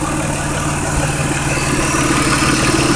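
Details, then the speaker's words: 2004 Mazda6 with swapped-in 2006 Fusion 3.0 V6 (61k miles), after PCM relearn, no intake filter fitted: smooth, steady V6 idle with even low beat, no stumble; earlier misfiring problems gone. "but I can't compl because all the problems that it had before of misfiring and all that are gone"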